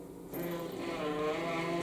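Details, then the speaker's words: Dental ceramic firing furnace running an Oxidation program: smooth, even motor hum as the chamber lifts open, no grinding or catching; lift operating normally before preheat, despite a reported fault of the unit switching itself on and off. "Мы видим, что печка открывается."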